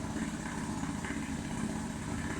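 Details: Outboard after submersion and carburetor cleaning, running under load with propeller engaged to reach temperature and dry out: steady, even two-stroke drone with no misses, knocks or rattles; running smoothly while warming up.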